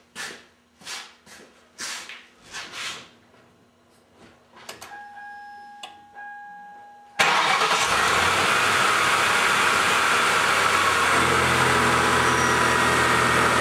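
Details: 1995 Lincoln Town Car after fan belt tensioner replacement; engine catches at once and settles to a smooth, even idle with no squeal or chirp from the belt area: normal idle.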